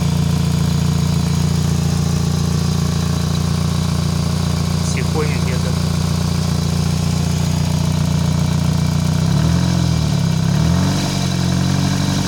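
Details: Toyota 4A-FE engine: no knock at idle or when revs drop, but a knock appears at startup and as revs are raised; cause unidentified.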